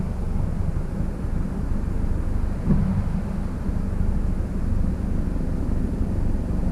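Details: 1966 Triumph Spitfire, rebuilt 1147cc engine, on-road driving after fuel system stripped and lines flushed: steady low drone pulling evenly, no misfire, stumble or hesitation; healthy engine under acceleration, owner unsure what fixed it, ran fine about 70 miles.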